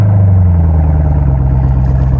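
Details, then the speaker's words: Chevy Camaro SS V8 fixed with a new LiPower lithium battery after leaving the owner stranded, remote-started with trunk open: deep, even rumble with no misses or knocks; normal idle. "Your car is fixed. It runs. It fires right up."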